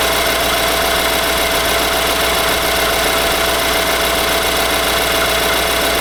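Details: 2018 Nissan Armada SL, 5.6L petrol V8, about 38,000 miles, idling with a quick, light knocking over a bright, busy engine sound; owner asks if normal, see TSB NTB19-057.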